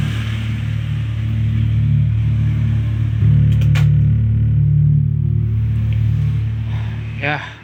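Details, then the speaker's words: Harman Kardon SUB-TS11 subwoofer with a raspy-sound fault, tested with filter off: deep bass full and clean, no rasp or crackle, power/amp section normal (potentiometer still scratchy); normal subwoofer output. "Cuma untuk bagian powernya suaranya juga udah oke, overnya udah normal."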